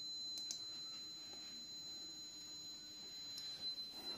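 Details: Lagoon 380 catamaran whose battery bank isn't holding charge: thin, high electronic alarm tone holding steady over faint wind; a battery-system warning, with the isolator switch connection suspected.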